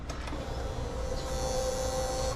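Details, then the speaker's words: Honda motorcycle fuel pump motor inside the fuel tank, running too loud: steady, fairly high electric whine for about two seconds; bike otherwise runs normally; fix is replacing the pump motor. "อาการที่ว่านี่ก็คือว่ามอเตอร์ปั๊มติ๊กมีเสียงดังครับทำงานเสียงดังมากเกินไป"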